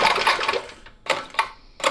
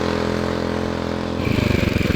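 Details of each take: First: 1970 Fox Condor mini bike, Tecumseh HS40 4 hp engine after 20+ years in a barn: three rasping pull-cord strokes with no firing. It cranks but has no spark; the ignition points are to be cleaned. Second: 1970 Fox Condor mini bike, Tecumseh HS40 with a new 22 mm carburetor and the idle readjusted: steady, even single-cylinder pops rising under throttle and easing off with no stumbling. It starts easily and runs well.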